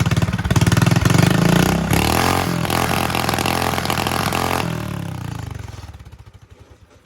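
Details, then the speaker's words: Predator 212 small engine, warmed up, chain off, choke partly released, before Stage 1 kit (bigger jet, air filter adapter, header); revs hard, stumbles and cuts out at high RPM then dies. Owner suspects lean fuel, hoping bigger jet fixes it. "And I just listen when I get high in the RPM, you'll hear it"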